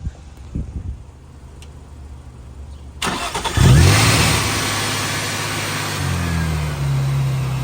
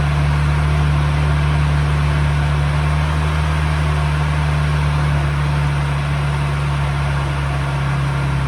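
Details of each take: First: Nissan 350Z with ProCharger after tightening the supercharger belt to fix belt slip: short crank, then it catches and settles into a steady idle that lifts slightly near the end, with no belt squeal; normal start and idle. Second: Procharger-supercharged Nissan 350Z at idle, before the new belt is fitted: a lumpy idle with a rough fluttering hum and no clean steady tone from the slipping supercharger belt, then shutdown.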